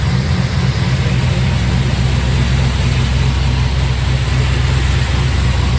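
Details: 1955 Buick with turbo LS swap, first start with new homemade 3-inch exhaust: Silverado tailpipe pieces, swap-meet Thrush muffler, slash-cut tip. Deep, steady burble, even pulses, no ticks or rattles, exhaust solid and tight: normal idle.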